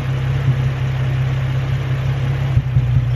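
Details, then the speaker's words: Nissan 350Z at idle after new spark plugs on the passenger bank (cylinders 1, 3, 5) and coil packs reseated, earlier cylinder 1 misfire, no fault codes now; steady rumbling idle with an occasional stumble, an intermittent misfire of unknown cause. "but now I can hear an occasional misfire I don't know if you can hear that in the background"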